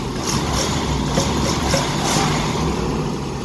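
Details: 1988 Winnebago Superchief, Chevy P30 454 V8: smooth even idle with steady low rumble and regular exhaust pulses, no knocking or misses; runs fantastic.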